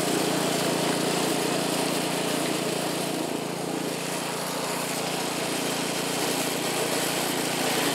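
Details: California Trimmer mower small engine after carburetor fine-tuned an eighth to quarter turn to stop surging; steady even drone holding speed while mowing dead grass, no surging. Running smoothly under load.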